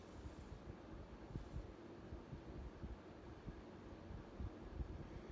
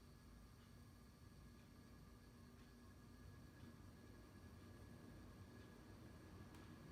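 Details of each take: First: 52-inch SMC A52 variable-speed ceiling fan, late 1970s or early 1980s, cast motor housing, on highest setting forward: quiet even whoosh of air, no scratch, hiss or chatter; bearings healthy, slight wobble. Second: 52-inch SMC A52 ceiling fan, late 1970s or early 1980s, cast motor housing, running reverse on high, seemingly faster than forward, pronounced wobble: faint steady electrical buzz over the rush of air; slight motor buzz in reverse.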